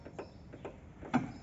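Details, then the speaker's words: Sandero suspension knock: anti-roll bar clamp knocks metal on metal, about five sharp taps in under two seconds as the suspension is rocked; the bushing rubber has no play, but the clamp is loose where the noise comes from; the driver side is firm. "tá batendo ferro no ferro aqui ó não tá com folga na borracha mas tá com fogo aqui nessa parte de onde dá o barulho"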